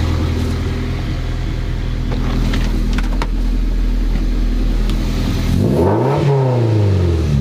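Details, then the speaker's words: Toyota MR2 Spyder after replacing a muffler with a broken internal baffle with a Top Speed resonator; steady idle rumble and clean rev, no rattling heard, pipe touches catalytic converter pipe; normal exhaust note. "what do you think sounds all better so I didn't hear any rattling I didn't either"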